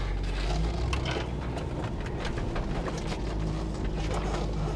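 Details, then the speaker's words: 2011 Range Rover V8 on a test drive after purchase, running on about half a gallon of gas. A deep, steady, unbroken rumble with no knocking or tapping; the engine sounds healthy. "I don't hear any knocking."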